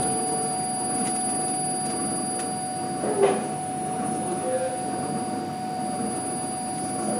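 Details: CNC filament winding machine at IUT Nantes SGM department winding glass or carbon fibre around a mandrel: soft, steady motor whine with faint high tones and an occasional light clack; running smoothly.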